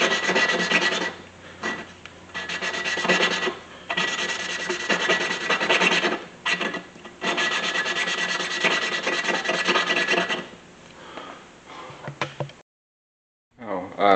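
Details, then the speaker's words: 1999 Mustang 3.8L V6 head, valve lapping to fix leaky valves and low compression: rhythmic back-and-forth rasping of lapping paste, gritty at first and then smoother and quieter as the valve beds into its seat. "you can kind of hear it change its note it started out sounding really gritty and that's making less"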